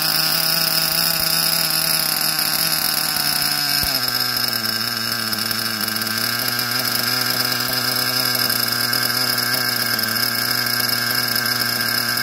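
High-pitched buzzing engine holds a steady note, then drops to a lower, slightly wavering pitch, sounding like a small nitro engine running rich.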